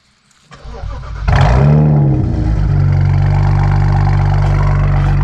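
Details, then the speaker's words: Freshly built BMW 335i N54 twin-turbo six (MMP 53/53 turbos) restarted after 15-minute break-in; cranks, fires quickly with short flare, drops to smooth steady idle, no knocking; owner calls it a nice quiet motor; normal startup and idle. "Hell yeah, baby. Nice quiet motor here."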